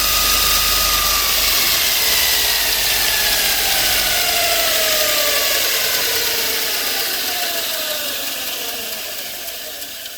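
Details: Bench grinder just fitted with a linisher belt attachment, first test run: smooth even whir at full speed with no rubbing or flapping, then pitch falls steadily as it coasts down; running fine.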